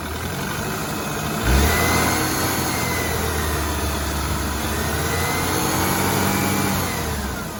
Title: BMW 328i F30 N26 weird knocking noise and whine